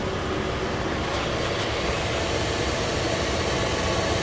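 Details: Engine after adding 2 quarts of oil to nearly full, idling: smooth, even hum with no top-end ticking or tapping; oil pressure gauge around 80, healthy running.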